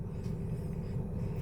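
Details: Toyota Vios with no-crank starting problem, after tapping the starter: starts and settles into low, steady even idle with no misses or knocks; starter diagnosed as the fault.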